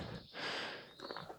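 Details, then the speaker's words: 1971 Autocar A64F truck; sharp hiss of escaping compressed air swelling and fading, leaking from the air line to the air-powered windshield wiper motor. "but it's still leaking air out of one of these lines here for the air-powered windshield wiper motor."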